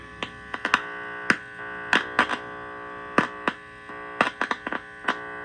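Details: Heathkit IT-12 tube signal tracer with its probe set to RF and touched to a radio: only a steady low mains hum under sharp probe clicks, with no RF signal coming through; the owner wonders if the RF/audio labels are swapped.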